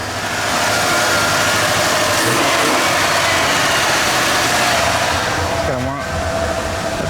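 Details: Junkyard Bullnose Ford V8 after EFI-to-carb swap, low-pressure temporary fuel pump: fast steady idle with busy hiss; choke on and carb not yet tuned, so it idles high.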